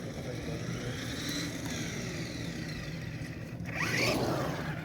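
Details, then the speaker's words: Traxxas RC car driven in wet conditions: a whirring electric drive with a rough scraping rattle and a rising whine as it speeds up. The owner suspects the center driveshaft, which fits with some wiggle room. Driveline noise, unconfirmed. "strange sounds i think it's just a center drive"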